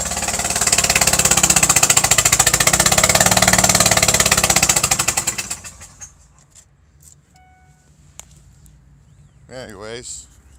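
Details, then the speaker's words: Engine at idle with a blown-out spark plug hole, before the fix: a sharp, rapid puffing tick from escaping compression that sounds like rod knock. It is quieter than before, possibly because the wiring was removed. "it didn't sound like that compression that you hear and it's probably because I got all the wiring stuff out of there"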